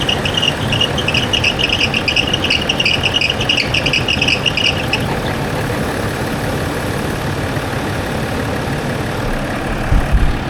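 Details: Land Rover Discovery 4 with freshly rebuilt 3.0L SDV6 diesel: quiet, even idle with soft steady hum, no knocks or rattles; engine sounds healthy after rebuild.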